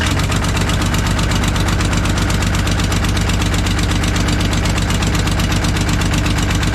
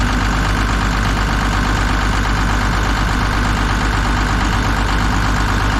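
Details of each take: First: Kobelco SK250 excavator, believed 2006, diesel, before repair: sharp regular puffing tick on the idle at firing rate, sounding like a missing cylinder; exhaust manifold leak, manifold to be replaced with new gaskets. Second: Kobelco SK250 excavator, believed 2006, diesel, just started after exhaust manifold replaced; deep even chug at idle, steady beat, no skipped firing or exhaust puffing, warming up; sounds far better than before, normal idle.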